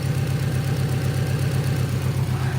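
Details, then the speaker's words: Cold engine idling at about 1100 rpm with a steady, smooth low rumble, an even beat and no knocks, the idle coming down a little as it settles. High cold idle. "It's idling at about 1100, but it is cold."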